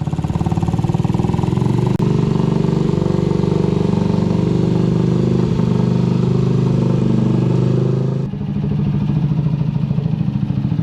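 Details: Restored Honda CG125 street scrambler fired up after full build: steady, even single-cylinder thump with crisp exhaust beat, no knocks or rattles; starts and runs cleanly.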